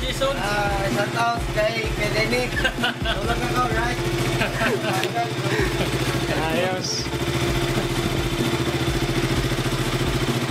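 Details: KTM RC/Duke 200/390 after the starting-click problem was fixed by sanding the corroded starter relay contacts: a single cylinder starts and idles with an even, steady thump and no misses. Normal idle.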